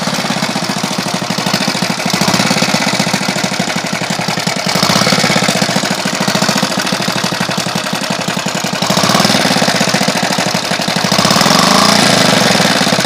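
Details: Alpha moped after new piston kit and cylinder head, timing marks set; idles and pulls normally but loud sharp metallic knocking about three or four per second, rising and falling with throttle; knock, cause unknown.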